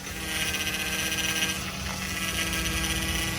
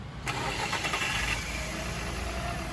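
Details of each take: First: Customer's car, steady whine and hiss over the running engine from the hydraulic power steering pump, louder when steering is stressed; cause under diagnosis, pump not necessarily at fault. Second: Fiat with hydraulic power steering after repair: the burst return-pressure valve in the reservoir let too much oil return and starved the pump; reservoir and fluid replaced. Engine idles steadily with no pump groan or whine.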